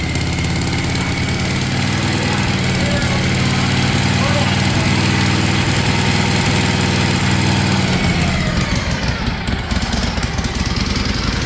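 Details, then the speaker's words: 1956 Harley-Davidson FLH with a Bendix carburetor, start-up during restoration: the big twin lopes with a slow, heavy beat that sags and gets ragged. The idle may be set a little low and may need turning up. "You might have to turn the throttle up a little. Yeah, we might have to turn the idle up a little."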